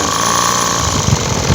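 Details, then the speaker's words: Thai-labelled 411 two-stroke engine, long unused, wouldn't start after carb cleaning; seals replaced and idle adjusted: small two-stroke buzzing at steady, even idle without hunting or stumbling; normal idle after repair. "สตาร์ทติดแล้วเสร็จแล้วก็ให้ทำการปรับจูนนะครับเพื่อstartเสร็จแล้วก็ให้ทำการปรับเปลี่ยนเดินเบาเรียบร้อยนะ"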